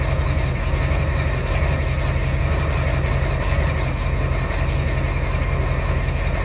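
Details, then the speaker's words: Ford 7.3L IDI diesel after replacing valve cover gaskets and fuel return lines, recorded by the exhaust tip while bleeding the fuel lines; deep, loud idle with a slightly uneven rumble, running a bit rough as air purges from the lines. "you can tell it's running a little rough so [Music] the air coming out of there there's a good amount of air in there that we just got out"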